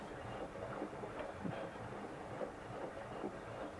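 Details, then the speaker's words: Siemens IQ300 front-load washer (model 6S10026TI-23), 7 years old, filled with water and turning a few rotations each way before the bearing check. Quiet, soft tumbling with no grinding, scraping or knocking; drum rotation sounds healthy. "进水，让它进水之后转几圈，然后我们再按暂停，然后再调单独脱水。"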